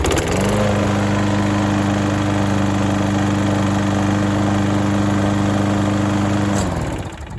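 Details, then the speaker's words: Auction lawn mower after new air filter and governor spring tensioned by bending its arm to raise rpm: steady, even single-cylinder buzz at constant, higher speed, then winding down at shutoff; runs smooth and healthy. "that sounds a lot better um so that's how you get a good working cheap mower"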